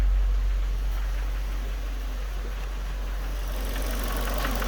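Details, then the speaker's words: Vauxhall Meriva VXR at idle: a steady idle with a regular light knock, roughly four per second, over the engine note; it drives fine with no power loss, cause unknown, and a specialist diagnosis is planned. "but as for this a bit of a knock on the engine drives fine no lack of power or anything like that"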